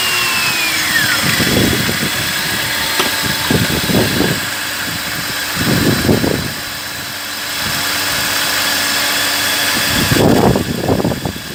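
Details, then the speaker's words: BMW E39 with M52TU six after replacing the mechanical coolant pump that caused unusual sounds: steady idle with even hum and brief handling noises, no whine or rattle from the pump area. Noise gone, pump was the problem; normal idle. "Ձենը չկա, խնդիրը լուծվեց, պրոբլեմը պոմպից էր։"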